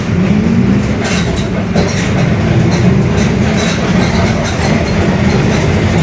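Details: Mercedes-Benz OF-1721 Bluetec 5 diesel urban bus, Mascarello GranVia Midi body, built 2021, onboard: steady low droning growl under running noise holding with road speed, a growling (roncando) differential.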